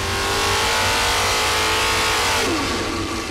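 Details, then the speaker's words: Chevy big block 572 crate engine freshened with radical cam swap, on dyno at full load: crisp rising V8 howl climbing smoothly, slightly crackly, dropping off at the lift; healthy engine. "think sounds awesome it's a little crackly err I can sit and listen to it all day"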